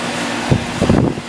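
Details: Outdoor AC condenser unit after replacing the capacitor, which had caused frequent starting and stopping: steady fan rush over a low, even hum with no cutting out or stumbling; condenser fan and compressor running normally.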